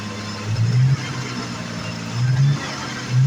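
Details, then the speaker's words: 1986 Jaguar XJ6, unstarted for two years, after fuel pump change and refitting parts: deep steady engine note with a few throttle blips, low exhaust rumble, no knocking; running normally. "okay now now we have fixed everything back in place and the car has started once so"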